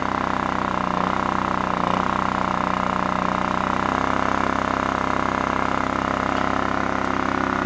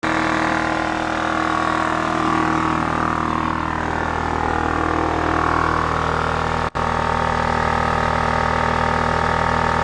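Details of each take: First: Scrapyard Honda EX650 generator, engine oil checked fine but accidentally fuelled with two-stroke premix: steady single-cylinder drone with a slightly rough, uneven beat, smoking. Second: Scrapyard Honda EX650 generator, vibrating very little: even, steady drone at constant speed throughout, no hunting or surging. Running healthy.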